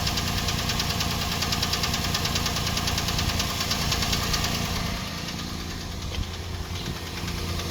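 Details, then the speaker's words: Toyota Prado 120 engine idling cold, recorded from one side of the engine: quick, fairly regular tapping over the running sound; cold-start knock of unconfirmed origin. "Это звук, он такой на холодную. Вот так он слышится с этой стороны."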